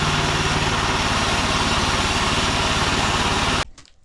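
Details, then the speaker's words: New Mech Maxx SM-22 sawmill small engine after assembly, first runs: smooth, even buzz with a steady beat and no skips before switching off; runs great, though it backfired a couple of times. "Alright, so I've ran a few bores now, and there's a couple of things I wanted to point out and mention. It runs great."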